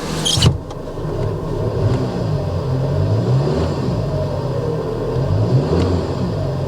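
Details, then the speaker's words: 2011 Hyundai Sonata, under 200,000 miles, at idle: low rumble with uneven churning unchanged when max A/C switched off; accessory drive noise suspected, possibly timing chain guide or tensioner; A/C not cold. "We've got max AC on and it is not cold. We can turn that off. There's no change to the sound coming from the accessories."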